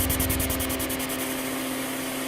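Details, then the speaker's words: Altec Lansing 2200 Mainframe power amplifier, channel 2 card, with no input signal into a Community R-Series speaker: constant hiss, a low hum and a scratchy, pulsing rub like a rubbing voice coil. Mismatched transistors are suspected. "you'll hear this noise sound like a rubbing voice coil okay turned up the trouble you can hear that definitely"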